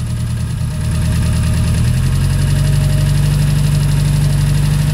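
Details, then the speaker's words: Fiat 850 Sport Spider with charging trouble and a blown fuse: voltage climbs out of control, idle rumble drops and labors as the alternator draws heavy power, then settles with a new hum; faulty regulator suspected. "can hear the engine change there. The alternator was drawing a lot of power from the engine."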